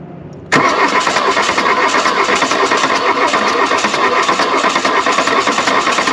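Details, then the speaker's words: 1979 VW Mk1 Rabbit diesel, revived wreck, cranked after belts and pulleys refitted and a cool-down: starter cranks fast and steady for several seconds without catching; no coolant yet, wanted warm to start; nearly fired, cause unconfirmed. "oh she was so close come on"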